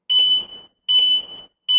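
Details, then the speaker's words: Tuscany 150 scooter anti-theft alarm being adjusted from the remote: shrill high-pitched chirps repeat evenly about every 0.8 seconds, confirming sensitivity level two while stepping through to level five. "กดปุ่มปลดล็อคครับนี่คือระดับหนึ่งระดับสอง"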